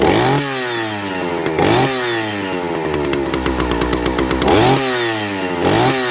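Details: Vintage Stihl 041 Super, just over 70 cc, started cold: saw snaps up to a crisp, strong high rev and drops back cleanly, pulling even with no misfire or rattle; normal running.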